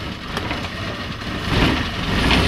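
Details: Suzuki Carry 1.0 idling evenly with the clutch pedal pressed and no noise after the clutch was replaced; the noise had come from the clutch side, not the engine.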